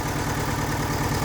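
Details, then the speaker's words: VW Gol flex running on gasoline, leaking oil, idling: a weak, lumpy, pulsing rumble and heavy engine shaking. When warm, the oil light flashes and goes out on acceleration. Owner suspects the oil pickup strainer. Rough idle. "Ó o ronco dele. Tá bem xoxo esse ronco dele. Motor tremendinho bastante."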